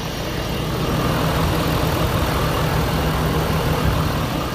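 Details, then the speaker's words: 2012 Ford F-250 6.7L Powerstroke turbo diesel after AMSOIL engine flush and 100% synthetic diesel oil change, 18-month follow-up: steady, even diesel idle with soft low rumble, no knocks or ticks; very quiet, healthy. "i want you to hear this thing start up how quiet it is crazy how quiet this thing is"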